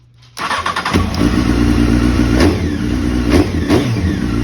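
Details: 2001 Honda CBR929 after aftermarket Chinese ignition install: catches right away, steady run with a few clean throttle blips; starts and revs healthy.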